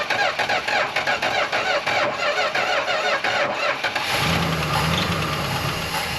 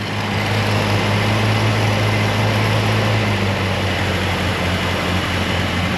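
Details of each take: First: Chrysler Newport V8 first start after sitting at least 22 years, oil pressure building: cranks, catches, settles into rough idle with a light fast lifter tick; lifter tick at cold start. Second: Chrysler Newport V8 with about 104,000 miles, revived after 22 years sitting, idling with a steady, even low rumble; the earlier lifter tick has completely gone.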